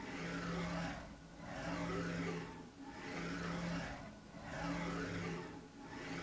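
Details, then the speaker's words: KR33 mini CNC, ClearPath digital servo on axis actuator jogging back and forth: soft low whir swelling and fading about every 1.5 seconds; quiet, smooth normal servo operation. "motors you're not used to that level of sound so it's going to jog back and forth here"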